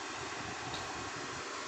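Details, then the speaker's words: Dead Lakoni Basic 123ix welder after jumpering three pins with wire. Steady, even airy whoosh with no ticking or scraping as the relay clicks. Cooling fan now runs normally. "Ini ya teman-teman, kipasnya sudah nyala. Kipasnya sudah nyala."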